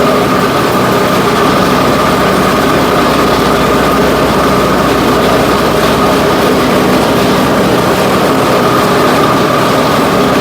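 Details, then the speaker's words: Cub Cadet XT1 Enduro garden tractor, mower deck engaged after washing: loud harsh grinding racket with a steady high whine over the running engine, with abnormal vibration; suspected failing deck spindle bearing. "all right as you can see that's pretty dead gone loud and annoying on that so first thing that comes to my mind down that and I hear that we got a spindle bearing that's starting to go out on it"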